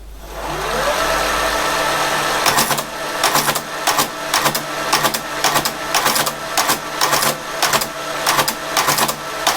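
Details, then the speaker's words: Creed 7B Mark 1 teleprinter, carriage just refitted (a part sits too close to paper): motor spins up, mechanism chatters in sharp bursts about twice a second; printing mechanism working, some valid characters printed. "So I'll start it up. It's obviously quite noisy, so hopefully we'll see something."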